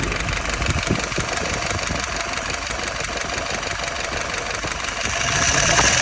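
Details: Restored, tested and adjusted YF on an F-head engine, dry with no leaks. Even, slightly busy idle at about 680 rpm with no misfire or stumble; could go up to 700.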